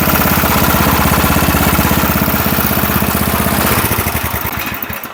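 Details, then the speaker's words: Small engine on a $20 garage-find rototiller, started on choke after the carburetor was reinstalled. A steady, even putter with no misses or surging, then it winds down and stops. Running smoothly. "Yeah, that sounds a lot better already, don't it? Nice and smooth now."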